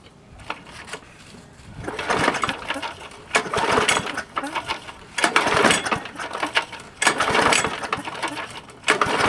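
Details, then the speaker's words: Old free roadside Craftsman push mower, primer pressed: four or five cord pulls, each a quick rattling whir dying away with no firing; cranks but won't start, next step fuel down the carburetor with air cleaner off. "No start. Let's take the air cleaner off as before, and we'll put a little gas down there."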